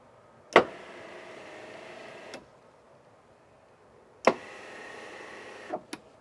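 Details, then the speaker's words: Winnebago Revel EuroLoft electric bed after the squeak fix with felt and double-sided tape: two short runs, each starting with a click and holding an even motor hum, no squeaking; normal quiet operation. "I'd say it is a lot better I didn't hear any squeaking"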